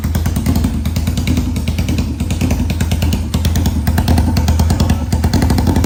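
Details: 1991 Kawasaki Ninja 500 twin in mini bike, first start after new gaskets and clutches, rejetted carb, gravity-fed fuel, open exhaust: loud, slightly uneven bark settling into steady run, no knocks or rattles; healthy.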